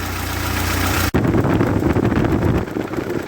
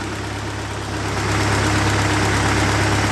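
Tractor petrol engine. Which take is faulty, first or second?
first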